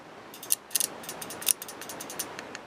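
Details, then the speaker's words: Common car relay with a broken cover, tested by applying 12 V from an old battery to pins 85/86 in a quiet room. Sharp, dry little clicks as power is applied and removed; the contacts pull in fine, and it later also checks good across pins 30/87. "okay so there's obviously a click there so that gate is working"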